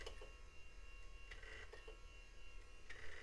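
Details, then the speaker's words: Compaq Presario 4240ES desktop at first power-up after cleaning: a faint whirring that surges, with clicks returning about every 1.5 seconds, as the Bigfoot hard drive struggles to spin up; the machine appears stuck, then reboots. "And it sounds like Bigfoot's struggling."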